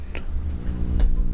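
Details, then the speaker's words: Shure SM7B mic with a Cloudlifter and ART Tube MP preamp powered by its 9 V AC adapter. A low steady hum with faint ticks as the adapter's transformer induces hum into the mic line, varying with where it is placed. "The transformer, well, it does things like that, and depending on where you put it,"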